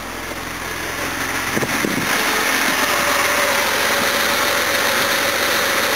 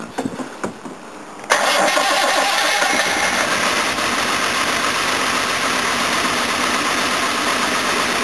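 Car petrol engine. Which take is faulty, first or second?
second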